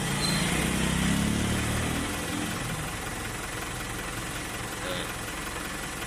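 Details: Mitsubishi Fuso with 4P10 F1 diesel engine, which wouldn't start until a reset: it now settles into a steady, even clatter at idle with no misses or stumbles. The engine runs normally.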